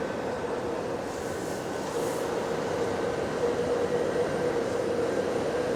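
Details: GAL bus EBD67 on route SL4, after its creaking suspension noise was fixed: an even rolling rumble with a faint steady whine and no creaking or knocking over bumps. Normal ride, no suspension creak.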